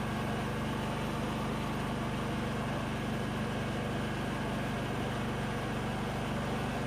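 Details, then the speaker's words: ZG222 mower with the deck just remounted (it earlier had belt vibration), PTO engaged: a steady engine drone with continuous gritty scraping underneath, a blade rubbing the bent deck. "turn some blades on here in just a minute that doesn't sound good well it looks like we've gotta take these blades off um had quite a nasty sound"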